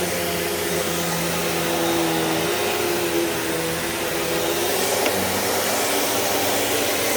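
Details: Riccar Vibrance upright vacuum after new belt, on carpet: steady motor whine with smooth, even brush-roll hum, no slapping or squeal; running healthy.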